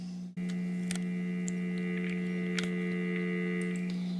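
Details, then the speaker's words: 551A PBX cord switchboard: the operator plugs the cord circuit into an idle outgoing trunk and hears central office dial tone in the receiver. Steady unbroken tone with a slight buzz for about four seconds; normal dial tone. "When that happens, the operator gets dial tone from the central office."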